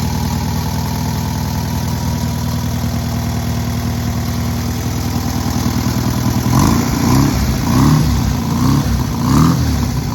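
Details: Newly rebuilt air-cooled VW 1600cc engine at its first start and break-in: smooth steady idle, then several quick throttle blips rising and falling cleanly without misses or clatter; normal idle and revving.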